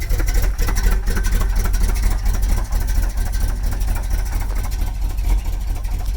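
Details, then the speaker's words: 1967 Cadillac DeVille V8 on K10 chassis, just started after reconnecting two loose MSD ignition box wires: lumpy uneven idle needing a little throttle to stay running; ignition still needs sorting. "a little throttle input but she's running anyway"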